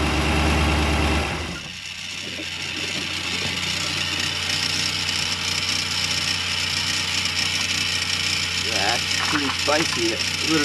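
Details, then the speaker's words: New built 350ci Chevy V8 (~350 HP) in a 1991 Malibu Competition ski boat, first start: catches immediately, then settles into an even, steady idle with water splashing. Clean start and idle. "wow that's pretty impressive things fired right up that's amazing"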